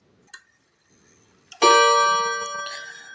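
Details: Seiko Japanese 30-day wall clock: a faint tick, then a single clear bell strike rings out and decays slowly; a normal half-hour strike.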